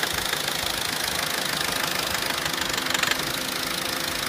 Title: Corsa C Exclusiv tapping/rattling noise (FIXED)